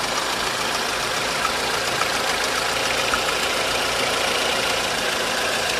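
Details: 1.4 16V engine at steady idle with an uneven tapping knock about 3–4 per second; timing chain tensioner checked and a belt removed, noise remains. Internal knock, cause not found.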